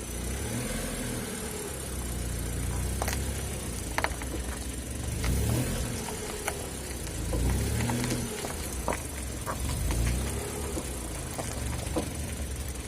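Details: Mitsubishi Pajero iO while driving: irregular dull clunks from underneath about every two seconds over road rumble; owner suspects worn driveshaft U-joint, which has play when shaken, and replaces it; cause not confirmed.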